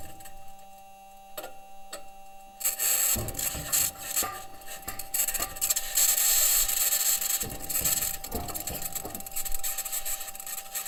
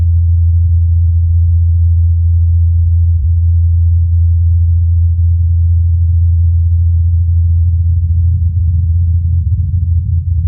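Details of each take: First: Perseverance Mars rover driving on metal wheels: irregular metallic bangs, pings and rattles as the wheels roll over rock, with a harsh high-pitched scratching laid over them that the team has yet to explain. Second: NASA Ingenuity Mars helicopter's fourth flight recorded by the Perseverance rover's microphone in Jezero crater: steady even low hum of the rotor blades spinning smoothly.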